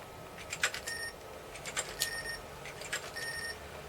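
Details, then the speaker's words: Commodore Amiga A2286 bridgeboard under repair: faint short high beeps about once a second among soft hard-disk clicking whenever the drive is read, e.g. on a directory listing; source unclear, possibly the card beeping the speaker on IDE access. "why would you get a B when you do directory maybe there's an issue with this card because it should be beeper that's weird isn't it maybe they're making it beat the speaker when it reads the IDE"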